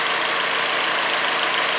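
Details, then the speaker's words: Kia engine at 440,000 miles: steady, even idle hiss with no stumble, miss or shudder; an exhaust leak is noted on one side. "look at that not jumping not shuttered 440 thousand miles"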